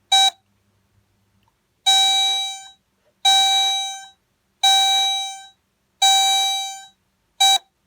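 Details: Chevrolet Lanos warning buzzer after repair; clear mid-pitched tone in even bursts under a second, repeating about every 1.5 seconds; working properly.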